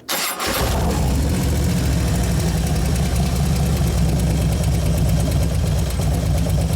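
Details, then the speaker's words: 2011 Harley-Davidson Road Glide FLT Twin Cam, hot and warmed up: engine catches into a lumpy idle with fast, even ticking, clicking and light rattle; source unknown, poor tune suspected of contributing. "u can hear it clicking on clacking right now it's hot it's warmed up anyway"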